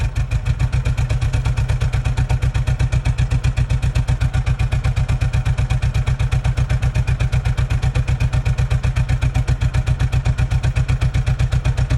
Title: 1990 Tracker/Sidekick misfire and running rough